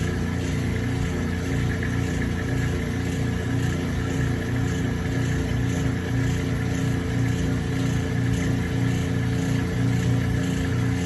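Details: Kenmore 80 Series direct-drive washer draining in neutral, before transmission replacement; steady low hum with even once-per-second pulse, no slipping or grinding; normal neutral drain, unlike the later transmission slip from a bad transmission.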